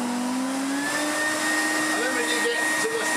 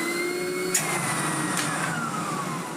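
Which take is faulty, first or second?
first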